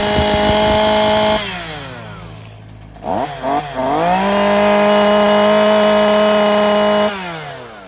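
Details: STIHL MS 212 chainsaw, 38.6 cc two-stroke, 2.4 hp, 2-MIX engine: high buzzy rev drops smoothly to steady idle, then climbs cleanly back to full throttle. Normal running.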